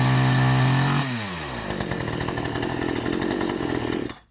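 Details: Ferrex (Aldi) 45cc petrol two-stroke chainsaw, first start after priming, took several pulls to fire, oil filled with regular 4-stroke oil; steady fast idle, then a sharp climb to an even full-throttle scream, running clean and strong.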